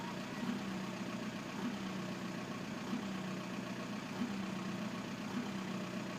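Diesel idle sounds uneven, with a lumpy, irregular knock and wavering beat rather than a steady clatter, suggesting an injector problem. Cause suspected, not confirmed.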